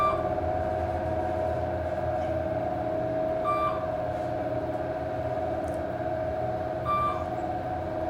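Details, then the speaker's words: 1980s Dover traction passenger elevator, 2500 lb, 200 fpm, recorded inside the car: a steady, loud mid-pitched hoist motor whine through the travel with chimes over it; the motor sounds bad, cause unclear. "Basement's burned out. That motor sounds horrible."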